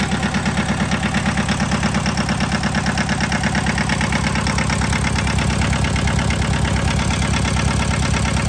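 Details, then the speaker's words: John Deere 650 two-cylinder diesel tractor after head gasket replacement: slow, even, heavy putt about two beats a second, no misses or knocks; healthy idle, owner says it sounds really good. "Yes, I love it. Sounds really good."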